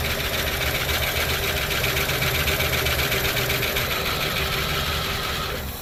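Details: 1972 Plymouth Fury I, long-neglected, starter suspected faulty, gas poured into tank and carb float bowl: rapid starter chatter about four beats a second without firing; cranks but won't start, trying to draw fuel.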